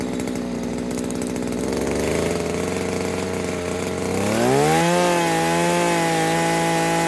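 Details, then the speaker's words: New Henghai 2.5 HP air-cooled Chinese outboard, first start out of water, warmed up: steady rasp climbing sharply to full throttle and holding clean and even; owner finds it a bit too fast but powerful; normal full-throttle run. "Too fast, I think. But it's a pretty powerful little machine."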